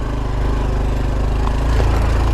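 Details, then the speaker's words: 2021 Honda Trail 125 (CT125) single at almost full throttle climbing a slippery uphill trail: deep, steady laboured thump, no stumbling. The rear wheel isn't spinning because the soft clutch slips, so this is normal heavy load. "the bike struggling okay see that's what i wanted to show you guys that was almost full throttle and uh the wheel wasn't spinning"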